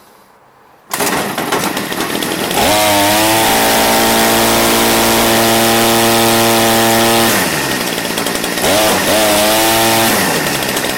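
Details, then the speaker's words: Redmax BCZ2460S two-stroke string trimmer: revs high and steady, then drops and surges back unevenly; abnormal running, cause unknown. "Does that sound normal to you guys? I'm not familiar with the Redmax weed whacker."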